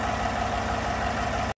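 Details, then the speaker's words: 2017 Chevy Silverado 5.3 V8 after replacing a bent pushrod on the right bank (lifter not found collapsed), before AFM delete: steady, even idle with smooth low rumble, no ticking, misfires or shake, then cuts off; normal idle. "well there it is running no one misfires and more Shake no more ticking"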